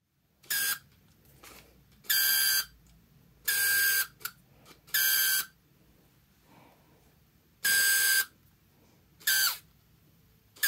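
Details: Canon EF 28-80mm zoom lens focus motor: short half-second bursts of shrill squeaking over gritty grinding, then quiet gaps; the focus drive is binding. The lens still works; the noise started recently.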